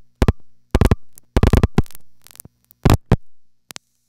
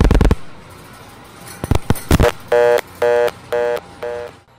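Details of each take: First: Museum No. 1 crossbar switch with the direct 832 trunks busied by busy plugs: short bursts of rapid relay clatter over about four seconds as the marker finds them busy and route-advances to an alternate trunk group via the panel office. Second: Panel switch call to a trunk group with all trunks made busy by busy plugs: selector relays clatter while trunk hunting to the overflow terminal, then a buzzy interrupted tone about twice a second, a busy signal.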